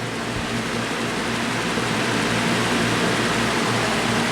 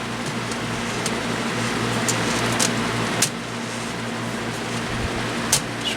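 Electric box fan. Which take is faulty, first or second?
second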